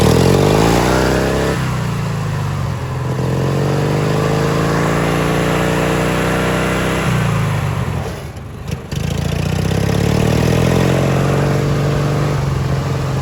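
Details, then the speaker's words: Li'l Red with Peerless 820 transaxle, during a top-speed run after new spark plugs: the engine pulls up smoothly through several speed steps with an even, steady beat and no misses. It runs great now, with no gasoline smell from the exhaust. "so i made a quick little discovery when i was doing a top speed run after getting the spark plugs put in the engine it's running great now"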